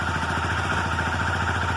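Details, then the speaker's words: Motorcycle engine cold at idle: fast, even metallic cam chain rattle resembling loose valves; slack timing chain from worn tensioner. "Então aqui essa motocicleta, ela está fazendo barulho de corrente de comando. A motocicleta está funcionando perfeitamente, mas depois começa a fazer o barulho aqui de corrente de comando."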